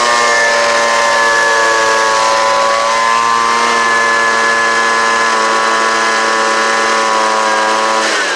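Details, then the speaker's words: Homelite UT09250 string trimmer two-stroke after carburetor replacement, warm restart test (restarting was the earlier problem): steady high buzz at even pitch about eight seconds, then shuts off cleanly; runs healthy. "so so so that sounds pretty good right there see if it'll crank up again"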